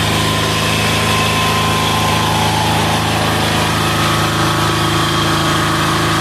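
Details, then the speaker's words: Amazon 186FA single-cylinder diesel running on filtered waste vegetable oil: even idle clatter with steady low thump and no misses; throttle response okay, runs fine on this fuel. "oh throttle response is okay all right that's pretty cool"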